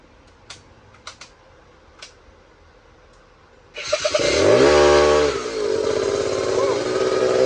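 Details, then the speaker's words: Bombardier 90 two-stroke quad, first run after cleaned carb and fresh mixed fuel, throttle cable rigged; fires up and revs unevenly, stumbling and bogging on throttle before picking up; owner thinks it may need a little adjustment. "well she right it's a little bit [Music] boggy also I mean if we can adjust a little bit on the to"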